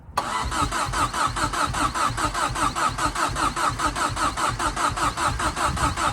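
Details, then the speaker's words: Fiesta RS Turbo: starter cranks steadily about seventy-odd beats a minute but never catches; fuel starvation. "okay so what it seems just pulling a fuel through now"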